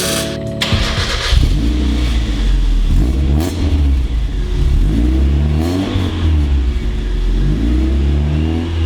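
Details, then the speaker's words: Car with a cheap, modified eBay exhaust: the engine blips and revs with a raspy, tinny buzz on each throttle stab. The worn-out resonator's loose baffle rattles every time throttle is applied. "Now I know the exhaust note is just terrible. Problem is that the resonator on this cheap eBay exhaust that we modified is just shot. So it rattles every time you get on throttle, and then it just sounds like a rattly little Honda."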